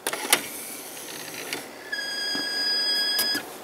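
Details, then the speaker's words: 1990s Sharp stereo system CD unit: a few mechanical clicks, then a thin high squeal about a second and a half before it stops dead; mechanism issue suspected, possibly a belt, none visible. "it gets to that farm makes us squealing noise and it just stops so I'm pretty certain it's just a mechanism issue in there that's preventing it from work"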